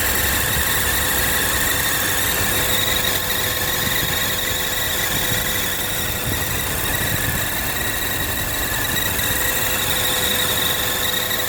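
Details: BMW E46 six-cylinder: a steady high-pitched squeal rides over an even idle with no change in pitch; an unidentified engine squeal, cause not confirmed.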